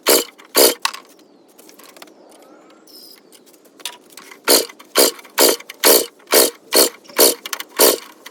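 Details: Yard Machines 21-inch single-stage snowblower, 5HP Tecumseh, after a week soaking with penetrating oil: pull-start rasps about twice a second with no firing and no compression resistance. Low compression, suspected stuck rings; plug shows residual oil and clumps.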